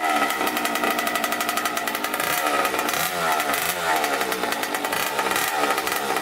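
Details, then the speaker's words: 1989 Kawasaki KX80 big bore two-stroke after a pilot jet change and new spark plug; crisp buzz revving cleanly up and down, no bogging or misfire, normal running. "took it for a top speed run and went through all the gears on it it was really super crispy"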